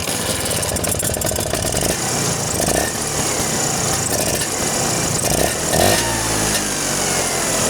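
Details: Vespa two-stroke engine after tightening a loose carburetor nut that caused a strange noise; steady buzz with short throttle blips, no odd rattle or hiss, healthy idle.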